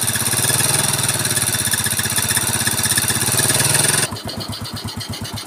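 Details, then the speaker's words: Yamaha Mio scooter after restoration, Supra carburetor with no air filter fitted so intake hiss, intake covered for clarity; smooth even putter with no top-end ticking or rattle, very smooth normal idle. "coba saya tutup biar jelas suaranya suaranya ya tuh ini benar-benar sempurna guys halus banget"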